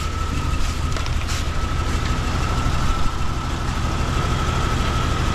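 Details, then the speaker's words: 1999 Jeep Cherokee XJ 4.0 sold as having a bad engine, warm idle with normal temperature: an uneven, stumbling beat with the odd skipped pulse. Misfire suspected from a bad plug; a test light shows no difference on cylinder 3. "but it does have a Mist so let's go the old school way and figure out what's going on with this I think it might just be a bad plug"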